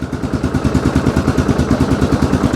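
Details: 2002 Yamaha Grizzly 660 single-cylinder ATV, first run after sitting 8 years, idle raised slightly: even thumping about seven or eight beats a second, no knocks or misses; normal idle, charging reads 14.1 V.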